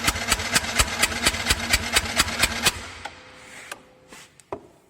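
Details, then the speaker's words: Four-stroke motorcycle cranked on the starter, throttle held fully open, compression tester in the spark plug hole: even steady rhythm about two compression pulses a second, no stumbles; 150 psi (1000 kPa), in the green, normal. "terlihat hasil dari pengukuran kompresi adalah 150ps Iya atau seribu kPa Hai ini masih normal ya karena di sana itu berada di warna hijau"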